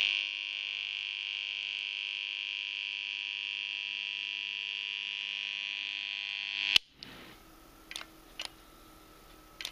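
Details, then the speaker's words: Magnetothermal circuit breaker deliberately overloaded in a test: loud, steady buzz as the coil vibrates under too much current, heating and getting damaged, until the bimetal trips with a sharp click; plastic inside began melting. "alors le bruit qu'on entendait à l'intérieur du du disjoncteur c'est la bobine c'est-à-dire que la bobine elle est à deux doigts de sauter et vibre parce qu'il y a beaucoup de courant"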